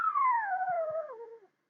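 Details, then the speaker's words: Eddystone EC10 vintage receiver on an external 9 V supply during multi-band alignment: a clean whistle glides steadily lower as the BFO knob is centred to 12 o'clock for zero beat; the beat frequency oscillator is tuning normally. "that little fella there is obviously the BF beat frequency oscillator okay and we're just going to get him in the middle for zero beat right"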